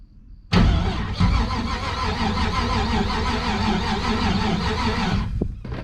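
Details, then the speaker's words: 1977 Chevrolet 4x4 with a small-block Chevy, a ditched project truck, cranking off a jump pack that seems to be dying: slow, heavy, sluggish cranking that doesn't catch. Slow cranking; weak jump pack suspected. "sounds like our jump Pack's trying to die on us"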